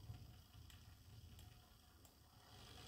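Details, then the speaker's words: Märklin 33121 locomotive from the late 1990s, after installing a Märklin 60941 motor upgrade kit and ESU LokPilot 5 basic decoder, throttle up one notch: quiet even low whir as it crawls immediately, no humming; smooth running. "it starts to crawl immediately, there's no humming and it runs quite smooth"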